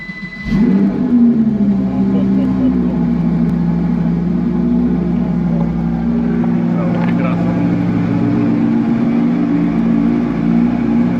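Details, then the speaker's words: Audi R8 V10 cold start while stuck in limp mode: it fires with a sharp rev flare, then settles to a loud, steady fast idle. The cause is not yet found. "An R8 monster stuck in limp mode."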